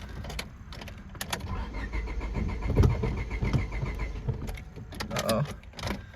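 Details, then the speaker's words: 1999 Honda Civic with stalling on throttle (ignition coil tested good) on test drive: uneven, lumpy idle sagging and hunting, about to stall; owner suspects clogged fuel filter, not confirmed. "there you go yes I guess it's not running fine I'm just gonna try and get it back where it was yeah it really wants to die"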